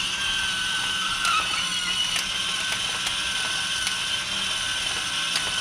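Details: Discovery Mindblown 4-cylinder model engine kit after reseating its small motor, pushed up against the gears while tightening, to cure grinding: light high whir with soft regular clicks about once a second and no grinding; normal gear mesh.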